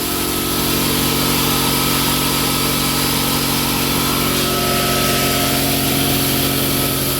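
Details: Newly installed Quincy 5hp two-stage air compressor on rubber-cork pads, running during soapy-water leak check of the union: constant loud pumping drone with an even low throb, no knocks or squeals; running normally.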